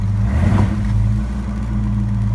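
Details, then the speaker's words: 1970 Ford LTD after anti-stall throttle dashpot replacement, in drive against the brake: steady low idle, picks up when goosed and settles back without stumbling, not close to stalling; runs normally. "not even close to stalling it wants more in fact eat gas"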